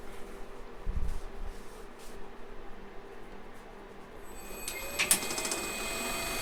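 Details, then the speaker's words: Maple sap vacuum pump, heated in cold Maine weather, started with releaser valve closed: quiet, then after about four seconds a rising hum and whir as it starts and winds down as vacuum builds; clean normal start. "So it should wind right down though, as the vacuum comes up, because the valve down there at the releaser is closed. Yeah, it's coming down now."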